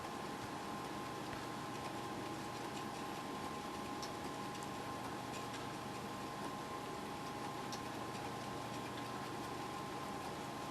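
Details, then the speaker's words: Faint regular ticking about every 1.5 seconds over a steady whine as a floppy drive keeps retrying reads on new-old-stock TDK 1.44 MB floppies that seem dead, during Windows 95 install on a Pentium 133 laptop. "i'm sure you can hear all that noise just thought i'd point out that these are brand new new old stock tdk 1.44 mag floppies i think it's kind of sad that these are dead right out of the package"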